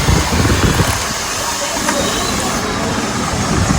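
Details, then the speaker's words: Mini battery table fan after repair with new battery, switched to top speed: steady, even rush of air with a smooth motor note, no rattle or ticking; normal high-speed running. "हाँ, ready हो गया. चलो इसको fast करते हैं, एकदम fast."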